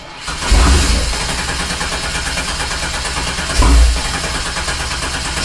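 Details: 1987 Fiero GT with swapped 3800 supercharged engine: two long cranking bursts turn it over steadily but it never fires; crank no start, no fuel because the fuel pump isn't connected.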